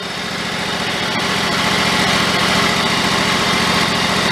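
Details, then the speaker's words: John Deere riding mower after cleaning out mouse debris and reassembly, previously surging and stalling after 10 minutes: steady, even low idle with no hunting. "good trying to turn the idle speed down but that's probably low as it wants to go but it's not hunting"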